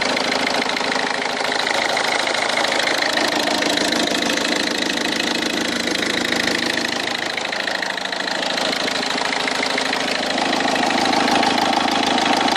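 A steady idle with a sharp, regular knock, about three per second, sits over the engine note; the cause is not identified.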